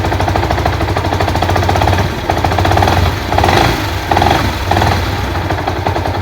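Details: Yamaha SZ-R motorcycle at idle after prior engine and clutch work elsewhere: rapid, even metallic knock loudest at the clutch housing (right-hand cover) side; engine knock, cause not yet known.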